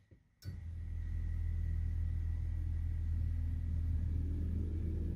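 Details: Car with a hesitation and acceleration problem, after a fuel filter change: in-tank electric fuel pump activated via diagnostic tool with the tank cap open. Steady low hum with a faint high whine while bleeding air; running normally.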